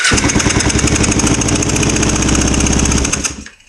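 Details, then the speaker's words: 2005 Kawasaki Ninja 250 twin after engine reinstall, first running with both plugs in: ragged, stumbling, very choppy idle with uneven firing that dies out; exhaust from both pipes but possibly weak; cause unconfirmed, top end to be rechecked. "All right, so she does run with both in. Um, very choppy."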